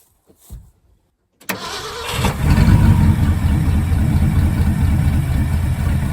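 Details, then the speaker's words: 1974 Ford F-350 grain truck, 360 FE V8, four-speed manual, allegedly about 42,000 miles, sat a dozen years, carburetor rebuilt: a short crank, then it catches and settles into a steady low rumble with a slight rev. Starts and runs fine. "I guess we should see if it cranks up. Uh-oh. Molotov's alive."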